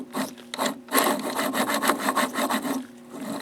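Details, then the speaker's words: Zeiss SL-120/130 slit lamp joystick elevation moves freely but gives a dry scraping rasp in short strokes each time it moves. The owner suspects dry bearings needing lithium grease. "When I move the joystick elevating the slit lamp, it makes a lot of noise. Yes, it's moving freely, but it's making too much noise."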